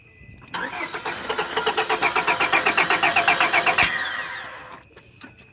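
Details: 1998 Honda Accord after spark plug change, fuel present: starter turns the engine over with even pulses about four a second for three seconds but it never catches; crank no start.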